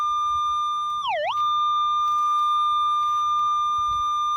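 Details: Minelab Equinox 800 in pinpoint mode: a steady high tone dips sharply once, then holds steady as the coil centres on the target and the display graph lines up.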